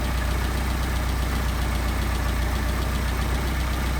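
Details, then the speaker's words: Mercedes 190SL with Solex carburetors after idle mixture screw adjustment: petrol engine idling low and steady at about 800 rpm with an even pulse and no misses. "Sounds like we got good RPM right there."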